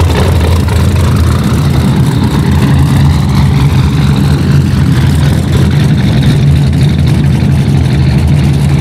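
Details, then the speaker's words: 1946 Ford truck rat rod with LS swap, 2006 5.3 L small-block V8 with 4L60E transmission, higher compression and a big high-overlap cam: deep lumpy loping idle that rumbles and shakes the car, steady, intended and healthy. "it's got a pretty decent cam in it with a lot of overlaps so it rumbles and it shakes and it gets in a rhythm sometimes where the whole car shaking"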